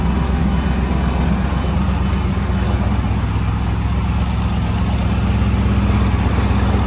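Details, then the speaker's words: Freshly built car with a tack-welded unfinished exhaust and hydraulic lifters: loud deep open-pipe rumble at idle with a faint uneven metallic tick; owner suspects a header flange leak, lifter or rocker arm out of adjustment, not confirmed. "there's just a there's a a metallic sound that's happening that is separate from the exhaust tone and i can't tell if it's a lifter or a rocker arm out of adjustment"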